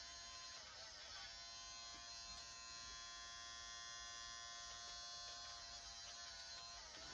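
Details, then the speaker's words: Kodak disc camera: a steady high-pitched electric buzz with nothing engaging, because the main blue gear has come unglued from the motor shaft and cannot advance the disc. "yeah that's exactly what the problem is that main blue that main blue gear has become unglued from the main motor shaft and that's why it's not doing anything that's why it's just buzzing like this because it's trying to advance this but it can't because that main gear has become loose"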